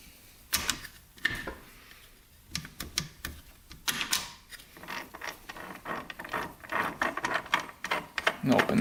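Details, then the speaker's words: 2001 Suzuki RM125 transmission, shifter worked through gears: irregular clicks and short grinding scrapes, never engaging; stays in neutral with sprocket spinning freely, a gear installed backwards. "so we'll go into first here if we can and that doesn't work it's like grinding in there you can hear that that's supposed to be in gear it's not it's not shifting"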